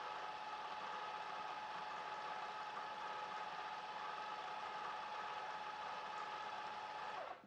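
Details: Revised Maxflow MPro 25 pressure washer, drawing about 14.6–14.7 amps and throttling itself back near that limit: smooth, quiet motor hum with a faint steady whine, then winds down near the end; normal running.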